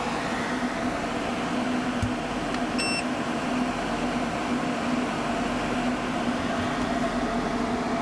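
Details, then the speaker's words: 12/24 V off-grid split air conditioner on a 1987 Mercedes Unimog 1300L camper: steady low compressor hum with a short beep, vibrating into the cabin; running normally and cooling. "Oh yeah, I can hear the compressor. It's actually vibrating in the house a little bit."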